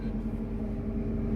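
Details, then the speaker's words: Abandoned Mazda 323 Familia with a B6 twin-cam conversion, first start in 5 years, on water instead of coolant: it fires within one turn into an even, steady idle hum with no knocks or misses, sounding healthy. "Oh, look at that. That wasn't even like one full turn. What a beast. And to be honest, it actually sounds pretty good."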